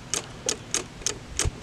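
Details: Hustler zero-turn mower at the key switch gives five sharp single clicks with no cranking, even after a new starter, relays, solenoid and batteries and a bypassed seat switch: starter clicking, no crank.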